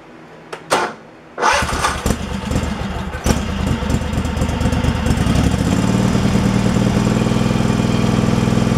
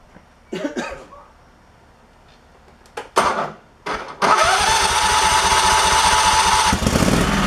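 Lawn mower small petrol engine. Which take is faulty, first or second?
second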